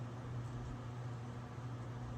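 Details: Circa 1927 General Electric fan, just repaired and running on solid state speed control: steady even low electric hum with soft airy rush; bearings begin making a little noise as speed rises.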